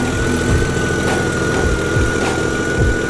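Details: Jeep after replacing two blown 50 amp alternator power fuses: steady, even idle with a smooth low rumble and a faint constant high tone; battery charging again, engine running fine.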